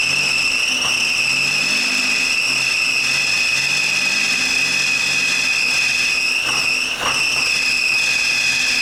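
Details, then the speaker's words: 1981 Chevy Camaro running for the first time after years of sitting: a loud, steady high-pitched squeal over a faint engine note that barely changes with speed. The owner says a pulley sounded awful; the cause is unknown and not confirmed. "That pulley sounded awful. But yeah, that pulley sounded awful."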